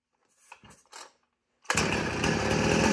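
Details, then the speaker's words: 2010 Husqvarna 455 Rancher chainsaw, chain brake removed, saved from scrap pile: rustles, then catches and runs with steady, even high-pitched buzz, no misses or sputter; normal running, a good runner. "But this one's a good runner. It's safe from scrap pile."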